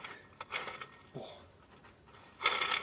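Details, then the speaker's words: Effbike fat-bike motor, disassembled: gritty, rasping bursts as a bearing is spun by hand, shot and needing replacement (6002 RS); the bearing on the other side sounds fine. "that bearing sounds shot."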